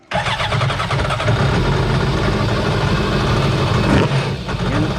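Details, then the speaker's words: 2006 Yamaha FX-HO WaveRunner with factory four-cylinder marine R1 motorcycle-type engine: catches instantly, smooth steady idle with one brief blip; healthy start and idle. "I'm gonna fire it up just so you can hear it. I had teased this a long time ago, and I said, you know, crotch rocket engine going into a jet ski, but it just came this way from the factory."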